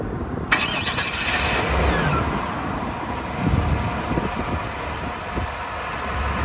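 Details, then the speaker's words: Auction-bought 1998 C3500 HD 454 V8 bucket truck: after the start the idle swells and sags every second or so. Owner wonders whether the surge is fuel pressure or the tune; unconfirmed. "Yes. I wonder if that surgeon is a fuel pressure issue or a tune issue."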